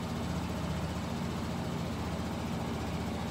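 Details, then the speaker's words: Kymco Bet and Win 250 scooter project after carburetor cleaning and idle screw turned up; quiet, even single-cylinder hum with no stumbles or surging; normal idle. "I bumped up the idol and it appears to be running okay now"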